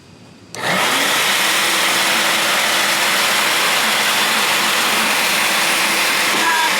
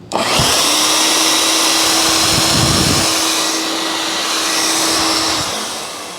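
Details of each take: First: Shop vac starting up: loud steady roar with rough gritty edge and wavering tone; motor suspected to need lubrication (dry motor bearing), not confirmed. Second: Shop vac after its noisy motor was lubricated with a little oil and the filters were blown out, retested: smooth, even motor rush with a steady high whine, no grinding or rattle; motor runs healthy.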